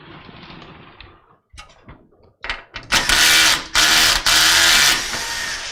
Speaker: so that grinding sound is the sound of the clutch on this driver usually when you're unscrewing things you could put it into drill mode